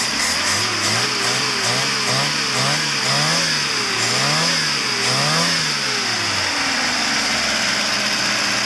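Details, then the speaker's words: Lada after a timing chain replacement, driven for a while: clean, even revs rising and falling in blips with no chain rattle, unlike before; the new six-rib belt makes a slightly odd sound. "now the timing chain don't make that kind of noise but like it's made the previous because now it's new"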